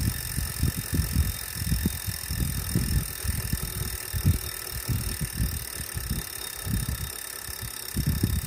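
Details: Wahoo smart trainer still noisy after cleaning, after 30 minutes warmup: uneven low rumbling thumps, several a second, through the drive; mechanical noise, cause not pinned down.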